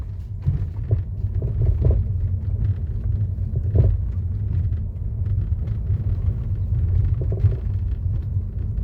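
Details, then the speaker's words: 2015 Mercedes-Benz E-Class W212 on a rough, unpaved test road: irregular dull clunks and rattles over heavy road rumble from the front driver side, louder at slow speed. Blamed on play in the front tension strut ball joint, despite earlier suspension parts replacement. "그런 소리가 나거든요 이게 테스트할 때 천체 가면 소리가 더 커지면 볼에서 나는 거예요 소리 더 커지고 있죠"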